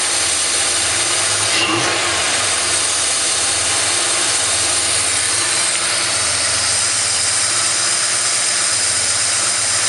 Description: Vacuum leak and idle hunt after Cobra cam installation. The hose for the fuel pressure regulator was disconnected from the vacuum tree behing throttle body, causing all kinds of issues.